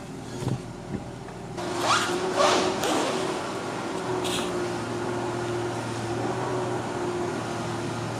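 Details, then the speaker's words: Freshly lowered car on test drive after bending the rubbing brake shield away from the rotor: couple of knocks at start, then steady road and engine noise with no scraping or heavy clunks. Normal ride, no rubbing. "Not bad. I don't hear no like. Yeah, I don't hear any like. Not like the 240. Yeah, like huge clunks."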